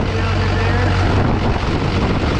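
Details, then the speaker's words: LLY Duramax diesel first start after new turbo, exhaust and intercooler, open intake with nothing hooked up: steady idle rumble with faint airy turbo rush; oil pressure up, slight odd sound blamed on open intake, no scraping; healthy turbo spool. "just got oil pressure sounds good got a little bit of a weird sound just because nothing's hooked up our turbo is spinning"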